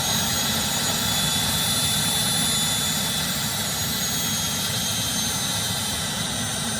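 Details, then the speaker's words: Starwood Turbine Lama model jet turbine, after repeated failed starts. It lights and holds a high, steady whoosh with a faint whistle, settled at idle; whether it reaches full power is untested: model turbine start reaching idle. "oh we got it that time now let's see if it'll go to full switch at least it got the idle"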